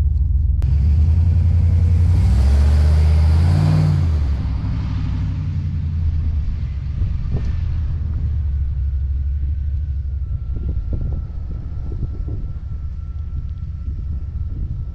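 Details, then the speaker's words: Slammed NBS GMC Sierra V8 with new 3-inch single catback exhaust, wide open throttle in front of the house: deep rumble swells through a hard rev, then settles to an even burbling idle with no rattle or blow; normal exhaust note. "I'm gonna do some wide open throttle in front of the house so you guys can kind of hear what it sounds like that way"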